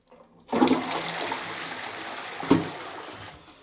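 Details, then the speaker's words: Caroma Stylus dual-flush cistern after inlet valve replacement, tested on half flush: a strong rush of water tapers into a quiet refill, then the valve shuts off cleanly with no trickle; working normally after repair. "Shuts off beautifully. So, that's fantastic. It's working perfectly."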